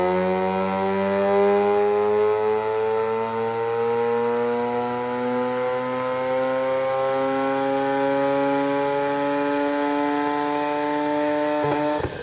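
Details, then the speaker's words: Mazda RX8 rotary on dyno; climbs steadily in pitch under load, then plateaus and drops off near the end, not going wide open because ABS was not pulled and traction control stayed active; throttle-limited dyno pull. "The car had an issue where it wasn't going wide open because these cars, if you don't pull the ABS"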